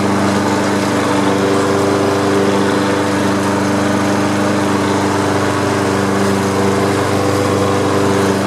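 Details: Free Troy-Bilt lawn mower after carburetor cleaning and flush, old gas removed, blade sharpened and balanced: steady, even drone at constant speed with no misses, knocks or vibration; runs normally.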